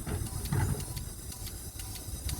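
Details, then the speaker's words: LPG taxi that stalled while driving, engine off, cylinder 3 injector powered through its connector: soft hiss with crisp, even ticks about three a second, gas injection heard at the throttle body. Normal injector pulse. "There is a gas injection sound in the Trottle body at the same time as the injector"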